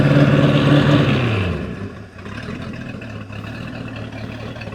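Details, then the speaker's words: 1996 Sea Ray 260 boat engine running, exhaust through the prop: revs drop from high drone to steady even idle, smooth regular beat, no knocks; slight miss heard, distributor suspected. "dude that sounded way better than the uh chaperel does it was smooth it sounded really smooth"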